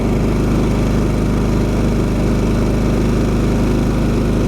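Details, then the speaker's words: Champion 3500 dual fuel inverter generator idling in eco mode with no load, 121 volts, drawing 0.7–0.8 amps; steady even low drone with no surging, misses or knocks, a healthy normal idle. "decibels under eco mode not running anything still reading 0.7 0.8 amps"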